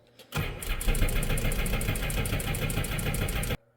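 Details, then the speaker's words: Sea-Doo Switch pontoon during oil change and winterizing, oil being sucked out through the dipstick tube: throttle held full open and start button held, rapid steady starter churn with no firing. Engine cranking without starting. "Once the oil has quit sucking oil out, we are now going to go full throttle and we're going to hit the start button and we're going to crank it for 10 seconds."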